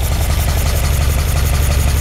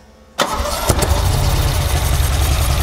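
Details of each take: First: 1978 Ferrari 308 GTB engine first running after being sorted, distributors removed: steady low idle with slight pulsing lumpiness as the carburetors read about 5 to 7 on the sync tool, still needing balancing at set rpm when warm; uneven idle. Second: '78 Ferrari 308 GTB V8 with its engine sorted, old distributors removed and carburetors fitted, cranks briefly, catches and settles into a strong, even burble with every cylinder firing; normal healthy idle after start, before carb synchronisation.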